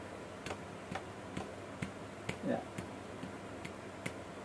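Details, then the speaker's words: Chainsaw (180) crank being checked by hand: light dry ticks about twice a second as the connecting rod is tapped; play in the rod bearing, and a tak-tak sound means the rod must be replaced. "Jadi apalagi kalau sampai bunyi tak tak tak tak, nah, itu sudah pasti harus ganti hook as."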